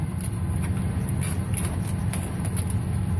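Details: 2007 Ford F150 that cranked but wouldn't start, idling after the broken fuel pump driver module was reconnected: low, steady rumble, even beat, no stumbles or knocks, smooth healthy idle. Normal idle after repair.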